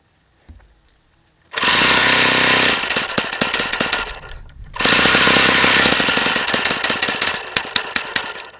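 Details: Saito FA-45 original ringless ABC two-piece-head model engine, hot, full throttle, no throttle stop: harsh buzzing howl surging and dipping with clattery edges; tired worn engine, front bearing badly worn, seepage at the front.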